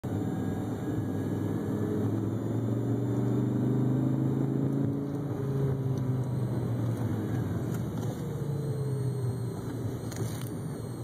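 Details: Low steady buzz inside the car cabin over the engine rumble, some tones drifting in pitch; started a month ago, and it persists with the air conditioner off.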